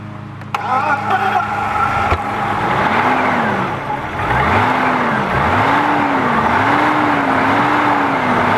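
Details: BMW M20 engine on its first start after the fuel system was resealed: revs rise and sag about once a second and never settle, so the engine won't hold an idle.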